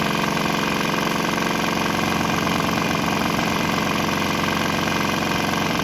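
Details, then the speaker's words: Swan X 165F Chinese single-cylinder diesel running on used fryer oil: steady, even thump about three beats a second, unbroken and not stalling, exhaust smell changed; mounted on a vibrating shipping crate. "like the exhaust has changed flavors a little bit. we'll try to start it again here on this straight canola."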